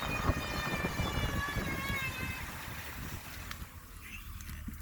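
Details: 2004 Jeep Grand Cherokee: high, thin whine from under the front end over road rumble at speeds above about 20 mph, in gear or not, fading as it slows below 20 mph.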